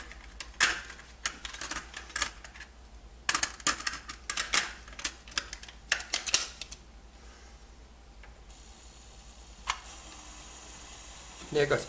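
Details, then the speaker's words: Coleco Adam data drive after cleaning the head and oiling the index wheel to stop the squeal, formatting a data pack: bursts of light clicking and tape shuttling, much quieter, no squeal or grinding; normal data drive operation. "now do you notice the sound difference after after oiling the index wheel see how much quieter it is"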